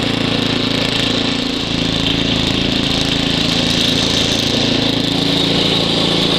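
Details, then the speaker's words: Ariens ST724 snow blower clearing snow, rebuilt carburetor, new fuel lines and impeller bearing; microphone apparently clipped in hood, likely exaggerating noise. Brisk, even single-cylinder beat, no misses, surging or knocks; normal running under load. "but the snowblower runs really good, nice quiet, runs fine, snow blows good, as you see in the video."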